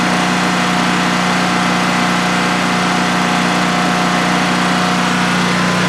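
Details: DuroMax XP15000HX generator in a shed, restarted a second time after install, running on propane with the exhaust fan off: a constant low steady hum with no surging or misses during a 5-minute test. Normal generator idle, running well.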